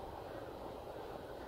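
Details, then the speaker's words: PS4 cooling fan runs flat out with a steady jet-like rush. Dust accumulated inside the vents is causing the noise, and it is to be cleaned out. "the dust that's in there that is what's making that noise that's what's making it sound like a spaceship"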